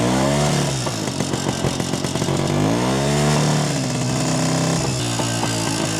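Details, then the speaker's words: Jawa 250 two-stroke after engine teardown and rebuild (heavy smoking after dyno): buzzes and rises cleanly with each throttle blip, returns to steady idle without hanging; carb retuned with self-drilled ~0.66 idle jet and 95 main jet, now well adjusted. "Nyt alkaa olla aika hyvin säädöissä tää minun mielestä."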